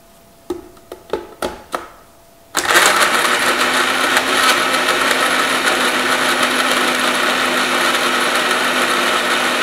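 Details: Blender making a vanilla shake with ice and water, later blending round: a few taps, then the motor spins up to a steady high whir with no ice clicking; the ice is blended and it runs smoothly.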